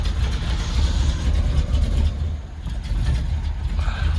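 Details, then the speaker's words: 1968 Cadillac DeVille V8 after oil change, cold start on aftermarket choke; deep loping uneven idle with surging, some dieseling; rough cold idle said to smooth when warm, carburetor needs adjusting, fast-idle throttle sticking. "a little rough to begin with once she warms up she's good"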